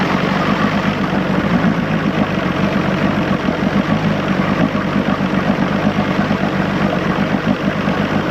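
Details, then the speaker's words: 1986 Johnson 90 hp SPL outboard after link-and-sync, ignition timing set and modified carb returned to original, before front airbox fitted: starts and smooths out to a steady, even low-burble idle with no misses or knocks, idle set just right. "you can hear it start smooth out some and we're we got the idle just set just right"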